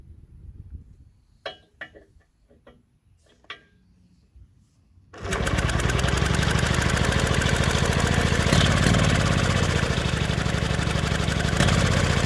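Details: Vintage mid-1970s Victor two-stroke lawn edger, previously seized engine freed, good spark, run on fresh premix: fires and holds a steady, even buzzing run of three to four beats per second; normal running.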